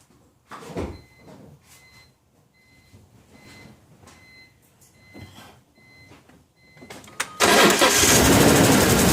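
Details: BMW E46 M3 S54 inline-six, close-up: cranks and settles into a rough, uneven misfiring idle with busy valvetrain ticking. It came on suddenly at a stoplight and swapping coils didn't fix it. Later a broken rocker-arm retaining spring clip was found.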